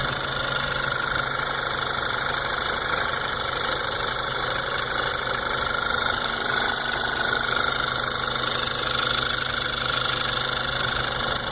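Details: New 2014 VW GTI at 1,000 miles: a light, fast ticking over a steady idle from the lower part of the engine, rising with rpm.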